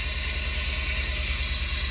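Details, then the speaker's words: Pontiac Fiero GT just restarted after fuel pump and tank work: loud steady hiss over a quick, even idle thump; obviously a large vacuum leak somewhere on the running engine. "So I don't know if you can hear me, but there's obviously a pretty big vacuum leak somewhere in here. But it's running."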